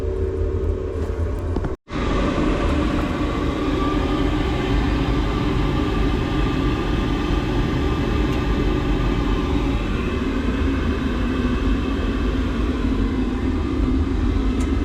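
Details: Boiler with E125 poor-circulation and E131 faults, right-hand block and condensate hose previously replaced: after firing up, the pump squealed, then a loud constant low rumble while circulating on heating; suspected from the heat exchanger, possibly blocked, pump doubted.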